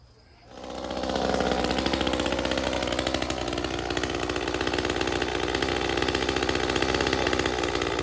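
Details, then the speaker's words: Echo CS-355 chainsaw after clearing a clogged screen: both carburetor adjust screws at their leanest preset settings, yet it still runs slightly rich with a steady, blubbery buzz that never cleans up; factory setting was pretty rich. "all right both of the adjust screws are at their absolute leanest preset settings and it still feels like it's a little on the rich side"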